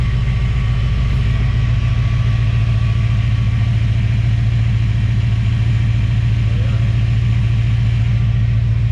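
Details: Chevrolet Caprice V8 with a healthy, even, regular idle and no ticking after replacing the cap, rotor and water pump. The owner believes the earlier suspected lifter or bent-pushrod noise was really cap and rotor buildup.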